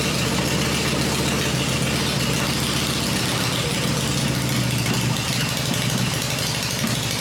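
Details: Freshly built Harley Evo V-twin on a test stand, first fire-up with open exhaust: loud open-pipe V-twin loping at steady idle, firing evenly, no misses or mechanical clatter; normal healthy idle.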